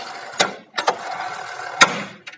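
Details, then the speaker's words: Splendor Plus with an upgraded wider tyre: sharp, irregular 'tak' knocks over a soft hiss as the rear brake is worked, caused by a brake rod bent by mechanics to clear the wide tyre. "तो जब हम चौड़ा टायर डलवा लेते हैं इसकी ब्रेक जो है प्रॉब्लम करती है, टक की आवाज़ करने लग जाती है।"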